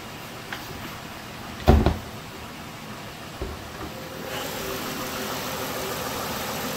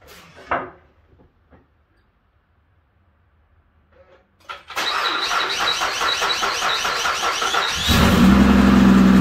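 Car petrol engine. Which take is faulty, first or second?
second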